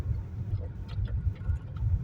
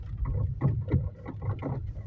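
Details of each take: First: Chery Tiggo 4 at about 3,000 km, driving on gravel after dealer warranty repair tightening steering cardan joint near pedals: low road rumble and stone patter, no steering knock anymore. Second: Chery Tiggo 4 at about 3,300 km, driving on gravel: irregular hollow knocks and clatter from the steering; owner suspected steering or stabilizer links, but the loose intermediate steering shaft joint near the pedals was tightened under warranty.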